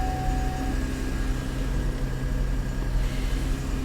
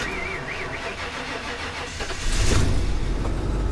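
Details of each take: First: Salvage auction car with about 52,000 miles, jump-started on a cold day: steady, even idle hum with low drone, no knocks, misses or hunting; runs smoothly. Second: Kia K900 V8 GDI with about 47,455 miles, jump-started: starter grinds and whirs for about two seconds before the engine catches and settles into a rougher fast idle; a little slow to start.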